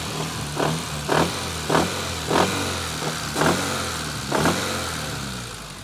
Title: Rod Knock?